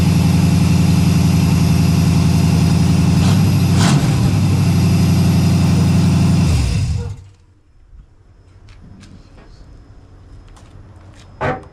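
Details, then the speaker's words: 1989 Firebird Formula, first startup after header install with open headers and no exhaust pipe: very loud, raw, crackly idle with sharp, even exhaust pulses until shut-off. "It's uh little too loud for the neighborhood. [laughter] Sounds good, though."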